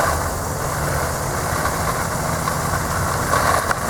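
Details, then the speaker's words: 230V single-phase 1 HP well pump kicking on at what is thought to be around 45 psi after repair, with current checked on an amp probe: even, steady hum with no surging, clicking or chatter. Pump motor running normally, not damaged. "Alright, you saw what it shot up to, and it's where that amp probe, and plus you can hear it running."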